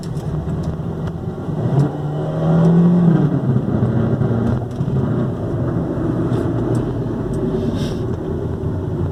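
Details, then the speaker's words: Ford Focus front engine noise: loose, tinny knocking like a can rattling over engine rumble, growing louder with acceleration; caused by a broken engine mount, fixed by replacing it. "escuta esse barulho [Música] ouvindo parece lata batendo simão direção conforme a natação aumenta é maior barulho"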